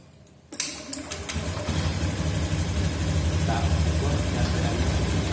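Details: Motorcycle engine after valve adjustment and compression test: fires quickly and settles into a smooth, regular idle with no ticking or tapping; running healthy.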